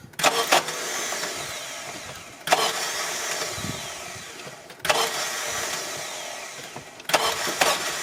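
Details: 2001 Honda CR-V with nearly new battery, cranking: four attempts of about two seconds each, harsh metallic grinding without firing; starter misaligned from a missing mounting bolt, not meshing cleanly.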